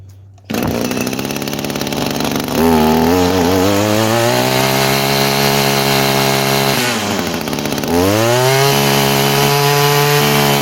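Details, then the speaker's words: 22-year-old Echo string trimmer that sat for years, carburetor leaking and a new one on order, running an old, not-quite-right metering diaphragm: the revs climb, then sag and stumble briefly, so it still hesitates. "it's still got a bit of hesitation. That diaphragm I put in there was pretty bad as well."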